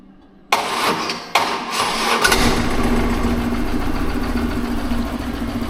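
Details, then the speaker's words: BMW R1100GS boxer motorcycle with failing starter, suspected loose internal magnets shorting and draining the battery to zero; intermittent ragged, uneven cranking bursts before it catches and idles, starter sounds bad, replaced with used Valeo D6RA. "sometimes it turns on, sometimes not. So it's really intermittent and it doesn't sound that good. So the starter doesn't sound good."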